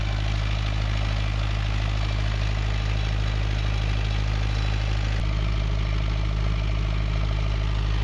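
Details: Perkins naturally aspirated diesel 20 kVA generator set with Leroy Somer alternator, bi-fuel (diesel plus recycled vegetable oil), during servicing. Steady, even low drone at constant speed with a smooth, regular beat and no knocks or misses: normal running.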